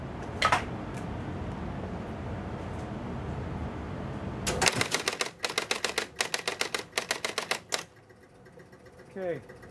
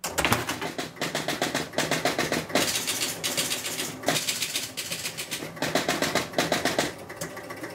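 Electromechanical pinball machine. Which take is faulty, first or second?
first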